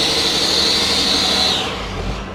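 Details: Cummins diesel work truck at idle: a high, hissing squeak at first taken for a belt rides over the idle, suspected to be exhaust escaping at a warped exhaust manifold; cause not confirmed.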